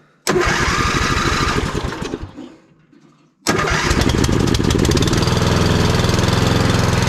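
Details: Vintage Simplicity Cavalier 3110 riding mower with an 11–12 hp Briggs & Stratton that had been dying at lowest idle. After raising the idle stop, it starts, sags and nearly dies, then catches and runs with an uneven, hunting beat; rough idle.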